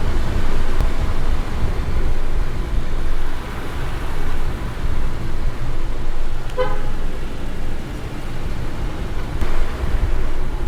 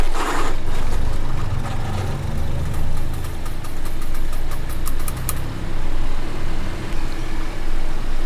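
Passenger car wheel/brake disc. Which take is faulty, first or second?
second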